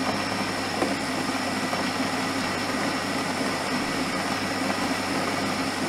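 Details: Nivona coffee machine, bought about two months ago, after cleaning the brewing unit head for firing brewer and no coffee: steady even hum with faint constant whine, no knocking or grinding; normal brew cycle, problem may recur.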